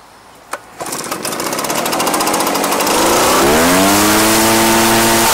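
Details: Echo PB-755ST backpack blower after fresh fuel and carburetor adjustment, previously dying under load: pull-start then smooth climb to steady, even high-pitched drone, no stumbling; normal run.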